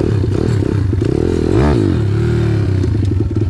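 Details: Home-built 140cc YX pit bike engine with rebuilt cylinder head and long transmission, test ride: loud crisp single-cylinder bark rising cleanly through a rev with no misfire; runs healthy.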